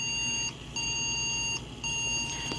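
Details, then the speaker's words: Three-beep POST error on a yard-sale desktop with no video connected and a card possibly in the wrong slot: three steady high beeps with short gaps over fan hiss, the board flagging a boot fault. "it's beeping three beeps so it's doing something"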